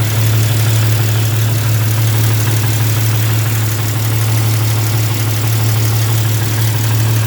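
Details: Jeep at idle: steady low idle with a fast, light tick about three a second; cracked exhaust manifold leaking, later welded up and fixed.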